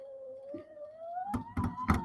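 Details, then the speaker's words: Returned SainSmart Infi-20 belt 3D printer, Y axis pushed by hand: faint rising hum then sharp irregular clunks as belt teeth skip on the pulley; owner suspects belt is loose. "even moving it by hand, I can hear the teeth on the belt slipping. I think this belt is loose."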